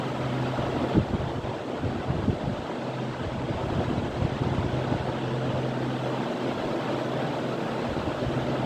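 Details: 15-year-old ceiling fan running at low and high speed; steady low motor hum under a constant whoosh of moving air.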